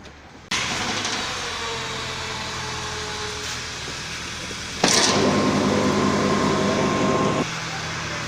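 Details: Audi exhaust after the original pipe was welded, engine started: catches and settles into a smooth, even idle with a steady low drone; no rasp or leak puffing, exhaust sounds sealed.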